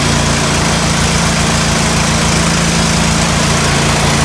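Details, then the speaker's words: John Deere L130 lawn tractor after a blown fuse was replaced with a new 20 amp fuse and the battery charged: loud, even, unbroken engine drone, no misses, knocks or rev swings; running healthily. "Well, it seemed like all it was a 20 amp fuse."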